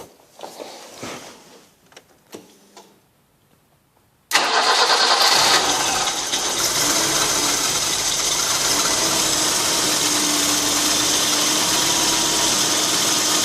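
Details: BV 30 86 at idle just after start, belt wet from engine washing: high steady squeal over idle from slipping alternator belt; fixed by spraying a little WD-40 on the belt's inner side.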